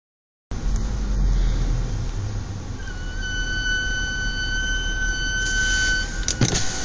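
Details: Brand-new Audi S4 Avant B8 (12/2011): sharp, steady high-pitched brake squeal held for several seconds over low road rumble while driving. It has squealed this badly from new, and Audi has no fix.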